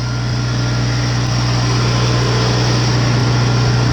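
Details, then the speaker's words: 1953 Farmall Cub tractor, running, rusty gas tank: deep steady low hum with an even beat around three and a half per second, no knocks or misses; healthy idle. "1953, man. She sounds good."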